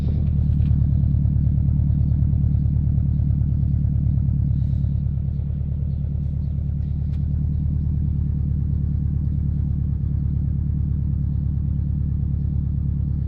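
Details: Subaru Impreza WRX GC8, EJ20G turbo at steady idle, deep rumble with an even knock about three per second; driven a year, prior owner two years; told forged pistons knock, owner suspects connecting rod; unconfirmed.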